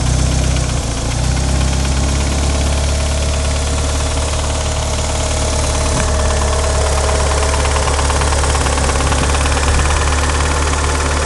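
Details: Light, quick ticking over a steady idle from the engine bay of a 1994 Eclipse GS-T, unchanged while engine holds speed; owner suspects lifter tick, source unconfirmed.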